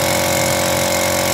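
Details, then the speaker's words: Lakoni air compressor after overhaul replacing the crushed 6003 crankshaft bearing that caused the noise: a loud, steady, even drone with no rumble or knocking, no longer noisy. "hasilnya kompressor sudah tidak Berisik lagi hasilnya setelah overhaul perbaikan sangat baik"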